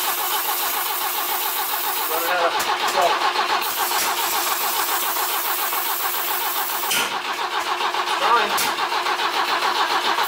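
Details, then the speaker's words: BMW E21 cranking after plug leads on the distributor were swapped to the opposite order to cure intake backfiring: steady starter churn, 3–4 beats a second, with sharp pops; won't catch, now backfiring through the exhaust instead of the intake. "so we've actually got the fire going out of the exhaust instead of the intake I would say this is a plus"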